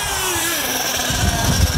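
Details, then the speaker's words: Nitro RC buggy engine, hot at operating temperature, at high speed: screaming revs then pinging and dying down, less exhaust smoke, lean high-speed mixture starving for fuel; fix is richening the high-speed needle. "right there you hear the pinging and then it dies down that means it's it's starving for fuel"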